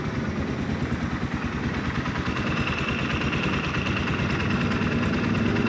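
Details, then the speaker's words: Yamaha Scorpio 225 at idle: hollow, uneven knock rattling from the cylinder block over the engine drone; worn, loose piston slapping, confirmed by the piston striking on teardown. "Di sini ada Yamaha Scorpio kita coba dulu suaranya ke coba kawan-kawan dengan di sini ada suara ketukan ya disekitar bloknya ya block silinder untuk tumbuhan sementara ini suara pistonnya ya sudah oblak"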